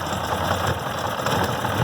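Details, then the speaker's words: 1969 Evinrude 55 hp outboard, started without choke, after fixing a ground wire that had caused erratic running: steady, even idle with a smooth low burble and no misses; normal idle. "crank it up which is always cranked right up and I sit there and let that sucker run for about 45 minutes idle perfect never missed so that was it"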